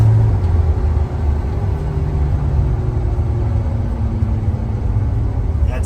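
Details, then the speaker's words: 1977/78 Dodge D200 crew cab with 440 V8, driving: faint steady howl over road rumble that drops in pitch as the truck coasts off throttle, heard only on deceleration; worn rear differential (Dana) gears. "I hate to say this but I think I'm hearing some rear end noise on deceleration you don't really hear it going down the road but you sure hear it when you slow down"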